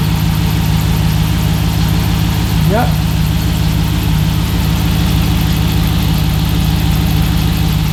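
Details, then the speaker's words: Hemi-swapped Jeep after power steering pump replacement and homemade line, reservoir topped up and no leaks: engine idles steadily with a short rising note as the wheel turns, no lasting whine or groan; power steering fixed, normal operation. "far everything looks fantastic I think from here I'm going to slide my fan shroud back in and then take it for a drive but other than that it looks like the power steering is fixed"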